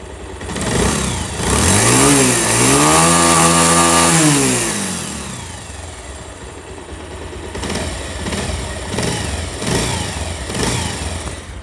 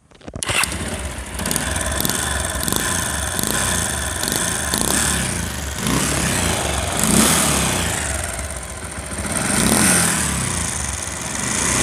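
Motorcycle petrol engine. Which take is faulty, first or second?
second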